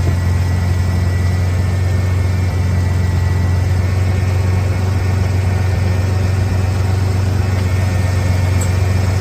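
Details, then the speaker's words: 1991 Ford Bronco during restoration, timing set: smooth, even low idle with deep rumble, no knocks or misses, about 850–900 rpm; owner happy with it. "I definitely like the idle a lot better it's down about about 900 I would wouldn't mind if it was a little lower but I can live with that"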